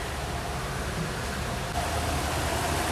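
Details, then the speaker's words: 1998–99 Audi A6 C5, code P1570, idling with an uneven, lumpy beat: one cylinder is dead from a failed ignition coil, found with a motor tester. "так в общем решил разобраться почему машина троит"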